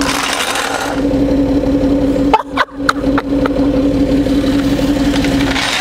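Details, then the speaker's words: Citroen C6 with engine running, car lifted on three wheels with flat offside rear removed: steady mid-pitched hum over the idle with a couple of short clunks as the hydropneumatic suspension raises the car; normal pump operation. "oh I can hear this the suspension here reacting it's doing something"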